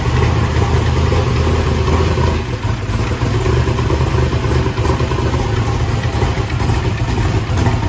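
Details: Chevrolet S-10 drag truck after valve adjustment, oil change and header gasket replacement; oil pressure 65 psi at idle. Loud, deep, steady lumpy idle with no knocks or ticks: healthy.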